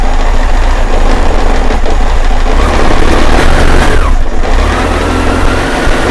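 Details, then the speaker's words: 1998 BMW K1100LT, cold, after a fuel pump replacement: the four-cylinder idles lumpy and uneven, stumbling about twice a second, and won't rev when the throttle opens; an intermittent fault has returned, with a sensor or its connection suspected; cause not confirmed. "well look at that the problem actually returned as I was filming this so I hope I think you noticed it idles but I cannot grab it it just sounds awful"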